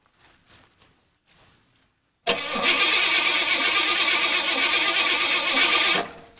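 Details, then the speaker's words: Starter spins the engine at a steady, fairly quick rhythm for several seconds on a K2 portable jump starter but never catches; the vehicle is out of fuel. "Alright, well, she's definitely out of gas, but I might have a little gas."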